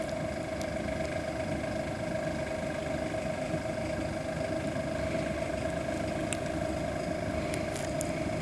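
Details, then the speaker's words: 5KW/8KW diesel heater fitted with an upgraded rebuildable motor replacing a sealed can motor: steady fan whine with a light, uneven rattle at startup; owner suspects the internal blower wheel is hitting the gasket. "yeah it's rattling noise the fans definitely quarter well looks like i'll be taking it back apart at some point"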